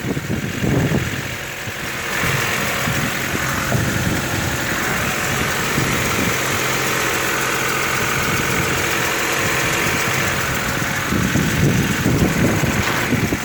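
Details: Honda with D14A4 engine, cold start: irregular light knocking about three or four per second over the cold idle; cold-start engine knock, cause unknown.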